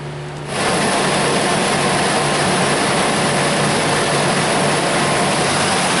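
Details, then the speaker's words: 1999 Chevrolet Tahoe 5.7L 350 V8 just after water pump replacement, started to warm up and check coolant: steady even idle under loud fan rush, no knocks, misses or squeals; running smoothly. "I'm going to go ahead and start it up, let it warm up, make sure the coolant's full."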